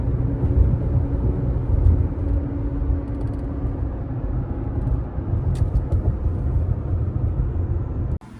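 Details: 2019 Toyota RAV4 on Kumho Crugen HT51 tires, about 40,000 miles since 2021: low, steady droning hum with a slow wah-wah pulse at 40 mph over road rumble; hardened rubber compound, cracked tread and sidewalls, worn-tire road hum.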